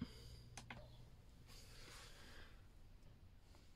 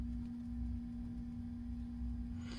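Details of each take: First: Alde 3020 heating system with inline circulation pump in 2015 Bailey Unicorn Barcelona caravan, start-up: pump barely audible, then fan spooling up with rising hum, then igniter clicks; normal heater start-up, unlike the loud failing pump. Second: Alde 3020 inline circulation pump in a 2015 Bailey Unicorn III Barcelona caravan. With the pump turned up from its lowest setting to about 1–2, a loud, steady jet-engine-like whine rides over a low hum. The pump is failing and needs replacement.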